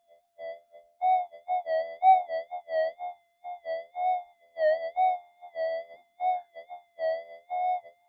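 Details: Minelab GP Extreme metal detector upgraded with newer boards and parts, bench test, speaker near microphone: warbling tone bursts around 700 Hz pulsing about every half second, swelling as a 0.05 gram gold flake passes the coil; strong, clean normal target response.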